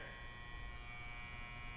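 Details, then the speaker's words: Budget Clayton dyno's lift air solenoid energised with no air supply: constant low electrical buzz with faint steady whine as it tries to raise the lift, which stays fully down without air pressure. "buzzing. Yeah, so it's trying to move the lift up right now, but there's no air going into it."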